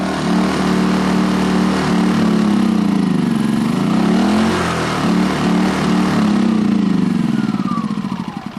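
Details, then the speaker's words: 2010 Champion 2000W generator, carburetor gummed up after 3-4 years little use; surges, hunts unevenly, then winds down and dies as choke is pushed in; runs only with choke wide open; suspected air-fuel mixture problem from clogged carb jets. "Yeah, so you can see as soon as I go to push the choke back in, it quits. So I'm kind of thinking there's a problem with the air-fuel mixture, and likely we got some clogs inside the carburetor."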